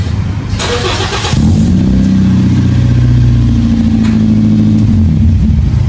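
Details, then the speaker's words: Toyota Vios Gen 3: starter spins engine briskly and steadily, battery shown strong, but it never catches or fires; crank no start, fuel pump suspected, not confirmed. "so malakas ang cranking pero ayaw tumuloy isa sa mga possible diyan fuel"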